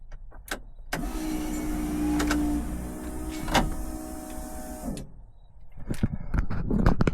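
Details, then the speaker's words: AU Ford Falcon burnout car, newly wired electric fuel pump switched on ignition: a loud, steady buzzing whine for about four seconds, then cut off, as the pump runs dry with an empty tank. "Okay, you definitely may have been able to hear that. That was loud as [ __ ] Um, I had to quickly turn it off because there's nothing in it. So, it's just dry pumping, which is not good for a fuel pump."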